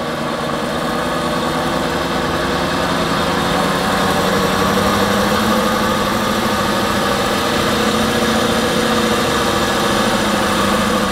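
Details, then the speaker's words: BMW F11 530d xDrive diesel, 416,000 km, with rear wheels spinning in gear: steady droning hum with faint growl; on the road it appeared from about 60 km/h, louder and higher-pitched with speed; judged rear wheel bearing, not differential. "ich würd sagen das hört sichm Radlager an"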